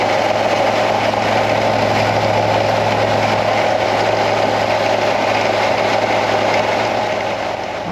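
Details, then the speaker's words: 2016 Ford F150 5.0 Coyote V8, 88,911 miles, overheating and dripping coolant: steady idle with a coarse, constant growl from the worn water pump bearing; water pump failed, needs replacing. "So I'm gonna start it up and I'll let you hear what this water pump sounds like, because it's growling pretty bad."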